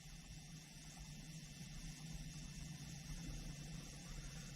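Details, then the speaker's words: 2013 Camaro with code P0496 (evap flow during non-purge), purge solenoid commanded via scan tool, heard from inside the car: faint, fast clicking of about four per second over a steady idle. "and I'm hearing a fast clicking let's go to increase again so that's at 10% duty cycle"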